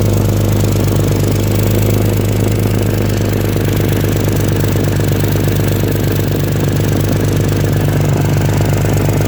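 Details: Engine idling steadily with a low, uneven puffing pulse over the rumble; exhaust leak.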